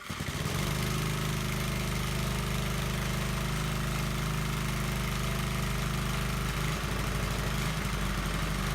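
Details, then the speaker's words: Briggs & Stratton engine on a Gilson tiller, choke on, full of gas with oil changed a week or two earlier: catches within half a second and settles into a steady, even putter; normal start and idle. "that was a pretty happy starts give it one more try here good enough to choke it now"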